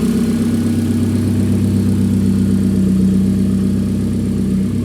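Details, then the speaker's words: Hyundai Genesis Coupe with freshly built engine, fully reassembled after first start: smooth, even idle with steady low hum, no knocks, ticks or misses; running healthy. "Here's an update. The car's fully back together. Everything's 100%. As you can see, it's running healthy."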